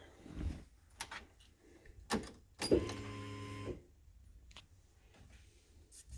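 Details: Renault Spider, which has no indicator self-cancel: a newly fitted indicator tell-tale speaker, first test after installation. About a second of steady buzzing tone over a quiet background. The reminder buzzer works.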